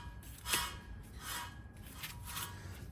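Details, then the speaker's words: 2015 Nissan Frontier wheel hub, rotor off, turned by hand without load: dry gritty rasp in short bursts each turn; worn wheel bearing, replaced with Autoround hub assembly. "you hear it hear that that's the culprit right"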